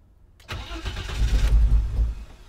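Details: 1987 BMW 325i (E30) on a start attempt: strong, deep cranking for about 1.5 seconds that nearly catches, then winds down. It cranks but won't start despite spark, fuel and air being present; cause unconfirmed.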